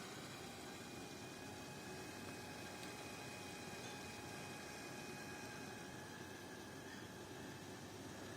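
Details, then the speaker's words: Deepcool LT720 AIO liquid cooler pump after disassembly, refill and air bleeding, on an i7-14700KF: quiet steady hum with faint thin whine and soft hiss, no longer crackling; repair successful. "с каждой секунды становится всё тише и тише выгнали системы весь воздух установили на процессор A7 14700 KF как можете слышать не шумит ремонт успешный"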